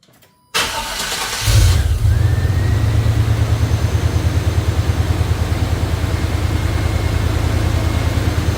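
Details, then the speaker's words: 1989 Chevrolet Silverado just after fitting a heavy-duty fan clutch and 11-blade fan (replacing 5-blade), about 3/4 inch shroud clearance: brief crank, catches, steady even idle, no rubbing or knocking, fan blowing correct direction; normal start and idle. "Appears to be spinning. It's blowing air this way, which is the correct direction, so that's good. It's not hitting anything."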